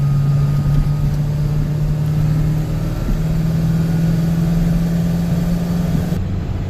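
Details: 1994–2003 Ford 7.3L diesel at idle: a low, droning, barking tone over the engine from a dry, worn serpentine idler pulley under belt load; the pulleys sounded dry and one chirped when spun by hand, and they were replaced.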